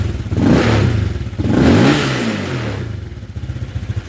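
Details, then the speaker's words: Honda Click 125 LED with PCX150 crankshaft and cylinder and 60 mm piston at stock stroke, on E85 after sitting long: two uneven revving blips with a slight stumble. It is a cold-morning hesitation that needs warm-up. "เช้าๆเนี่ยเวลาเราเบิ้ลเนี่ยมันจะไม่ติดมือแล้วมันจะสะดุดนิดนึงนะครับ"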